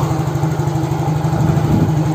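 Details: Yamaha X-Ride fuel-injected scooter idling after the repair: quick, even exhaust pulses at a steady idle with no misses or stumbles. It had died when the turn signals were used; battery read 13 V before starting. Normal idle.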